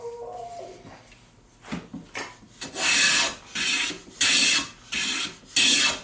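Five smooth, even hissing strokes about a second each with no chatter or skipping; the plane is taking clean full shavings.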